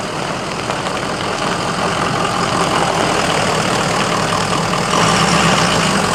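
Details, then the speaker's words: Lexus LS400 with headers and full aftermarket exhaust: steady, very loud idle with a coarse rasping drone and no misses, described as sounding horrible. "okay calm down a little bit holy [ __ ] that sounds [ __ ] horrible"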